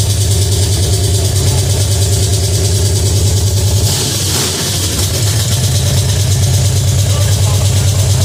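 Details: Pontiac 350 V8 in a '50 Pontiac gasser, first fire-up: steady, fast, lumpy idle well above normal with a deep even beat; high idle from an unhooked choke.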